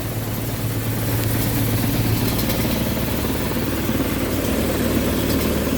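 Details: HVAC indoor unit blower in the attic on a no-cooling call. Low, uneven droning hum with a rough wobbling pulse: the destroyed blower assembly is vibrating excessively, causing intermittent low control voltage, and needs replacing.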